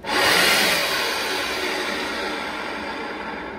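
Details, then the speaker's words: Old secondary air pump removed from a Smart Fortwo, bench tested: loud harsh high-pitched whirring grind starting abruptly and barely easing off; worn, rusted internal bearings. "how you know the bearings are bad inside of these"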